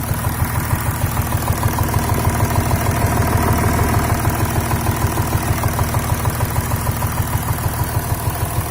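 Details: VW Touareg 3.0 TDI (CASA) diesel at idle after losing power on the highway with vibration at 2000 rpm: rough idle shaking the body with a steady thump about three times a second; knock source not yet found.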